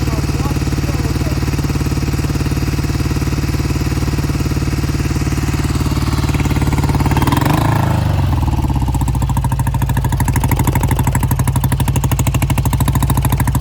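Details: 1971 Triumph T120 650cc twin, cold start after long storage, before repair: lumpy, uneven idle then a throttle blip, left cylinder cutting in and out; owner says it recovers once warm.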